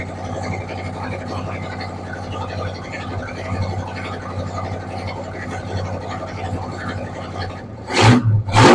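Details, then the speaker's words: 1968 Ford F100 with a 460 big block, just after an oil change and fire-up: low, even V8 burble settling into a steady idle with no ticking or knocking; running decently. "We got it fired up. Sounds like it's running decent."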